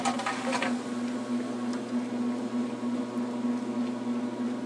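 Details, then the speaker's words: 1996 Maytag Dependable Care Plus washer on delicate cycle, washing a blanket: steady low motor hum with a soft swish pulsing under a second apart, no grinding or knocking; normal low-speed agitation. "there you kind of have it is low low-speed adulation at its finest"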